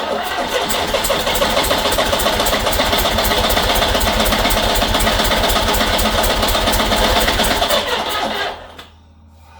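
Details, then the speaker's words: Diesel Peugeot 504 parked since 1987, after attempts that nearly caught: long even cranking about four beats a second for eight seconds, no firing, starter struggling; owner guesses a valve train problem, unconfirmed. "at this point I'm getting pretty frustrated I'm very confused and why it still won't start and the starter is having a really really really bad time"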